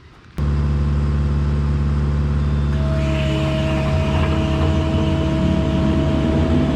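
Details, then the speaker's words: Quick Attach Mega Mower X 72-inch high-flow brush cutter, test run at 30 gallons a minute, the lowest high-flow setting: steady drone and clean spin-up, running smooth without knocks, spinning clockwise as intended. "all right everything seemed good with that I uh I only ran that at 30 gallons a minute which is as low as the high flow would go"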